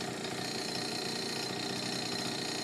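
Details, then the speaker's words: Honda Urban Express NU50 scooter after the exhaust-to-cylinder connection was tightened, now much quieter: light, even two-stroke burble at a steady idle with no misses, knocks or rattles. Normal idle. "I tightened up the exhaust connection to the rear to the cylinder so it's a lot quieter than a lot it was it rides runs and rides great"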